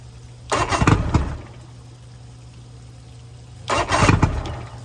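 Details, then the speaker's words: 1999 Bayliner Capri 125hp Mercury outboard on first start in rebuild, old spark plugs: two short bursts of cranking and catching, each dying within a second; won't stay running, carburetors suspected, fuel treatment considered. "So there she is. She won't stay running."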